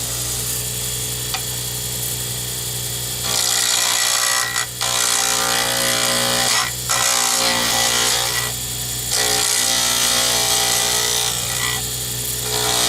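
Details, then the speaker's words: Rapid, fairly even clunk-clunk clatter over the cutting hiss while turning a D-shaped circuit-board-component pen blank for a Zodiac pen kit on the lathe; the tool hits the blank's corners twice per turn, which is normal for a D-shape. "So I'm going to let you hear more of this than I usually do, so you realize when you hear the clattering that that is normal when you're working with a D-shape. You're hitting the corners twice, so you are going to hear it clunk, clunk, clunk."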